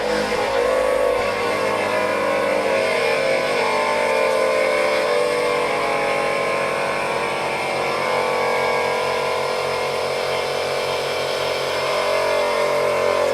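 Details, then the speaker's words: ARB on-board high-performance 12-volt twin air compressor in a Jeep filling a 2-gallon Firestone tank to 150 psi in 1 minute 35 seconds: loud steady buzzy drone, no knocks or stalls; pumping normally. "So at 1 minute 35 seconds, it filled 150 psi for a 2-gallon tank. That is pretty impressive."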